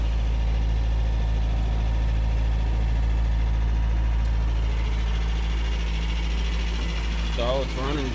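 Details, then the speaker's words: 1993 Toyota with 22RE inline four-cylinder, cold start in freezing Houston weather; timing chain replaced. Steady, even low idle with no knocks, misses or ticks; the engine runs smoothly. "it's got a 22 re 4cylinder engine it's in line we had to I got it for free had to replace the timing chain in it and the Sun is bad so we're going to do a cold start there you"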